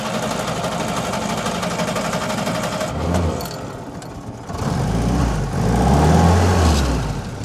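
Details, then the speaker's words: WW2 Willys Jeep with a Solex carburetor, hot after a short drive: steady starter churning for about three seconds before it catches and settles into a happy idle. The old Solex carb also needed extended cranking like this; the cause is unknown. "there you go and she's running and she's happy but do you see what I mean that that wouldn't fire for a little while on the sulex that wanted to crank for a bit and then it fired up"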